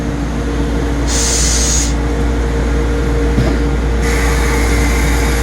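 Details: CNC milling center tool magazine after replacing a stiff limit/toggle switch that had caused shudder, stall and an alarm when the magazine advanced: steady machine hum with short air hisses as the magazine changes cleanly, with no shudder or alarm.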